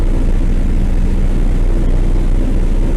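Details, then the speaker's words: 1957 Chevy V8 revived after sitting years: steady fast idle near 1800 rpm, won't drop below about 1600; suspected stuck carburetor float giving too much fuel, not confirmed. "It runs at high idle. You know, I'm running about 1800 RPM right now. It'll run at 1600, it's about as low as it'll run. So I think it's just getting too much gas."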